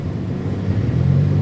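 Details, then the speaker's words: 1996 Honda Civic LXi automatic, after replacing cracked, split AC belt: smooth low engine hum at idle with AC on level four, firming slightly under load, no belt noise; previously noisy even at level one. "so ayan naayos na yung ano yung ating aircon hindi na siya maingay nakita niyo naman ah."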